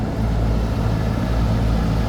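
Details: Trane rooftop package AC unit with customer-reported thumping, now cooling normally: steady, even low hum with both compressors and both condenser fans running, 54°F supply and 74°F return; no thumping heard, possibly after lightning storm.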